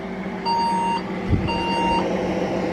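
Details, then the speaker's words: Old second-hand Saturn server tower at first power-on: two long steady beeps over fan noise, a motherboard power-on error beep code, suspected to be a RAM problem but not confirmed. "doesn't look like that's working that sounds more like a ram problem beep or something to me"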